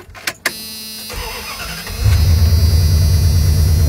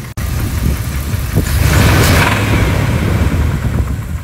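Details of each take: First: 1997 Dodge Ram 1500 5.2 Magnum V8 with prior rod knock, after oil change with Lucas and 80W-90: brief crank, catches, settles into steady even idle with oil pressure and no knocking. Normal start and idle. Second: 1997 Dodge Ram 1500 5.2 Magnum V8, warm after 10-mile test drive, oil pressure slightly down: deep uneven knock about four per second under the running note, worse than before; Lucas additive fix lasted about 10 miles. Rod bearing knock.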